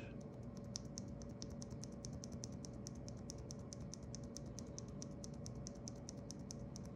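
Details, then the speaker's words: Corsair OPX switch, light (about 30–50 g), lubed with Krytox 205g0 and fitted with KBD Fans film, compared with stock: quick, crisp clicks about five a second with almost no scratch between presses. "the scratch is almost non-existent if you lube these it's really nice"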